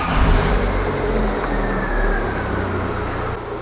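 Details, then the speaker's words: Old petrol car engine running on vegetable oil as engine oil after hard driving: a steady, even low idle hum with no knocking or ticking over light outdoor noise. Lubricated well and sounds healthy. "it did well as a lubricant in an old petrol engine despite the crushing and all the rest listen to this i will turn it on"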